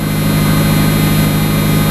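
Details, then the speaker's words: 1994 Mazda Miata at cold idle after winter storage, about 30–35°F outside: even, steady low hum with no misses or knocks, idling slightly fast as expected when cold; runs smooth with no exhaust smoke. "In this case, I don't think this is terribly high for a super cold. It's probably 35 degrees out right now, maybe 30. And she's running smooth."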